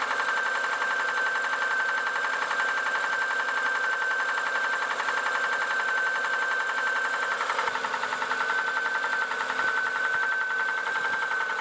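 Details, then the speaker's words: Fast, steady metallic tapping of about four beats a second over the running engine, a knock from inside the motor; the engine has started knocking, cause unknown. "Итак друзья произошло следующее Застучал двигатель"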